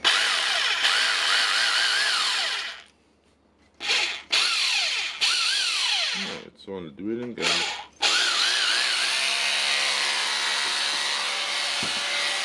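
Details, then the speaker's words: Hilti TE 5 hammer drill, test run: bursts of high even motor whir spinning up and dying off cleanly, no grinding or rattle; works normally; parts discontinued. "so it works that good for this tool. It will work until it stops, and then it will be thrown away because of the parts is discontinued for this one."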